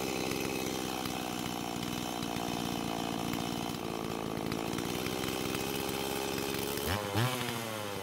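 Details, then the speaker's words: Stihl MS170 chainsaw after a fitting fix: an uneven, surging buzz wavers in pitch, then bogs and dies on throttle; owner thinks the carb cannot supply enough fuel. "at least it ran long enough that it felt comfortable enough adjusting the idle speed but it still stopped and the way it stopped made it seem as though the car but wasn't able to give enough fuel to the engine"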